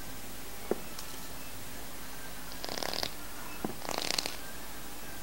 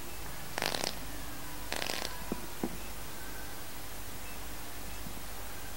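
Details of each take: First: CNC-made fused clapton vape coil at space 50, after space 40, fired at 40 W, about 0.35 ohm: quiet hiss with short sizzling crackle bursts each firing, sounding softer than space 40; normal coil crackle. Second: Fused clapton coil, space 50, 0.35 ohm, at 40 W then 42 W; only a few soft crackling bursts over faint hiss, weaker than space 40; coil needs more wattage.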